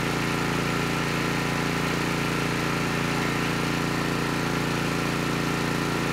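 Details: Honeywell HW5500 5500-watt generator, 337cc engine, after fitting new Hipa carburetor, replacement tank and old gaskets (insulator issue found); smooth, constant drone at steady speed, no surging, misfires or rattles — normal running.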